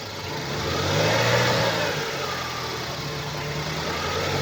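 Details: 2012 BMW 116i E81, N43B20A 2.0 L four-cylinder petrol, 122 PS, 119,875 km, idling and blipped: a dull knock under the engine note, caused by a defective crankshaft connecting rod bearing.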